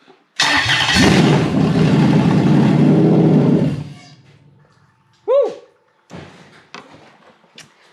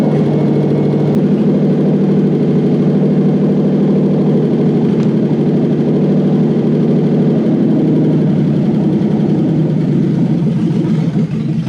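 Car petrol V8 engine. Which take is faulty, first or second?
first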